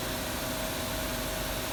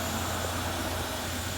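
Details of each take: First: Haas VF4 spindle running after a tool change: steady hiss with a thin constant mid-pitched ring, caused by two tool-change pins contacting each other. Disconnecting a hose stops the noise. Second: Haas VF4 milling machine after fixing spindle noise by removing a hose so the pin no longer contacts: tool change cycle with steady even hum, piston moving fully up and down, no scraping or grinding; normal tool change.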